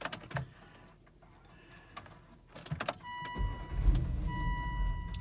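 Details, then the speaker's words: Volvo XC90 V8 stalled reversing off a driveway after running fine that morning; it cranks, catches and dies with clicks and warning chimes, and an SRS airbag warning is showing. Codes point to the fuel pump, and the owner suspects the fuel pump or a corroded PEM. "yep it wouldn't start at all yeah it's really bad"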